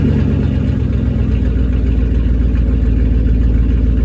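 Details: 2001 Dodge Ram 1500 with about 215,000 miles, idling with a new MagnaFlow catalytic converter and no muffler fitted yet: a loud, deep, raspy drone with a steady throb. Loud exhaust because the muffler is missing.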